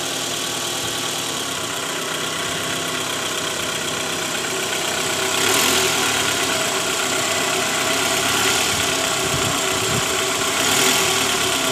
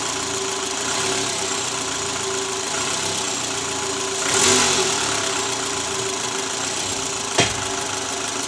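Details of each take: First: A faint, fast metallic jingle, about four a second, from the oil pan area of a 2012 Toyota Alphard ANH20 (2AZ engine, 101,000 km) in D at idle. The engine is rough mainly at first start. A worn, loose balancer shaft, confirmed on removal. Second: 2012 Toyota Alphard ANH20, 2AZ engine at 100,000 km, idling after the worn balancer shaft was replaced. It previously rattled under the oil pan, worst at cold start. Now a steady, even four-cylinder idle with a light hum and no rattle; runs smooth.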